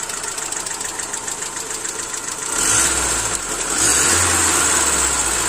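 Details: Hyundai Accent SOHC 12-valve at idle: quick, light tapping at three or four per second that persists through a rev blip; lifter or tappet noise.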